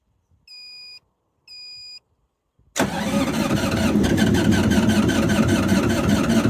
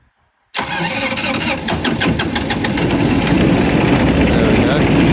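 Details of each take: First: GreenMech Quad Chip wood chipper diesel at yearly service with battery freshly charged: two chimes, then steady cranking about four beats a second that never catches; no fuel reaching injectors, air in system, injectors later cracked to bleed. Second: 2012 GreenMech Quad Chip wood chipper three-injector diesel, 1,500 hours, after bleeding injectors and using a jump pack: silence, then it catches at once and settles into a steady clattering idle that smooths slightly as it warms; running normally.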